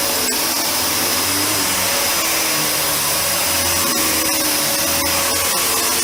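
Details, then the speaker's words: Panasonic MC-UG302 1900 W upright vacuum after fitting a new brushroll, replacing the seized one: steady motor roar with smooth brushroll hum, no flapping or grinding; running properly. "well apart from something being caught up it's now seems to dissolve itself that's much better"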